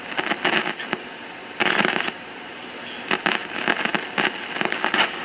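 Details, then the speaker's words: 1950s AA5 tube clock radio with Telechron clock, after replacing bad filter capacitors and the across-the-line cap: crackles and static bursts but the steady mains hum is gone. "Well, the hum went away."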